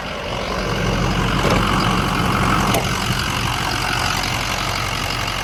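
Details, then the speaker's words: Truck at 247,030 miles after a warranty repair, back from a 17-mile test drive with slight power steering whine: steady, even idle, smooth low rumble, no knocks or misses; engine runs healthy. "Looks good, sounds good."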